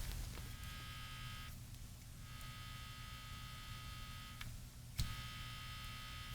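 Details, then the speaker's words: Sony TR-6 receiver under repair, volume potentiometer center removed: steady low mains hum with a buzzy edge from the speaker as the open audio-section input picks up hum. "Oh, you can actually hear it humming. Can you hear that?"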